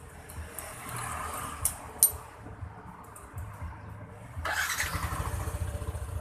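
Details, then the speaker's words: Yamaha NMAX scooter after anti-theft alarm installation, alarm disarmed: quiet, then engine fires promptly and settles into a steady even idle; normal start. "Motor nyala normal ya."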